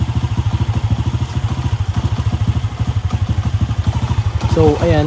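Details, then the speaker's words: Honda Wave 125 single-cylinder motorcycle idling after general cleaning with air cleaner refitted (carb was noisy without it): even thumping about three times a second, no intake hiss or rattle, settling quietly; runs as it should. "ayan, tahimik na yung makina niya."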